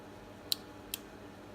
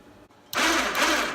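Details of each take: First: Harbor Freight Badlands winch on a Grizzly ATV, control box opened with its two relays: only sharp, dry clicks, about six in three seconds, with no motor hum. Faulty winch relays click but never run the motor. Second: Harbor Freight Badlands winch on a Grizzly ATV that was not working properly, with its two control-box relays suspected, shown spooling in before the relays were swapped: even motor whir with gear chatter, steady. Normal winch operation.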